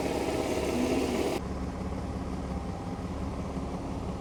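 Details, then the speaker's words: Nissan 300ZX Z32 warm idle running uneven and sagging after a throttle blip, nearly dying each time now that it has warmed up; owner plans to order a new filter, cause unclear, unstable idle when warm. "vous pouvez l'entendre s'enliser maintenant qu'il s'est réchauffé un peu je je vais lui donner une petite côte, il meurt presque à chaque fois"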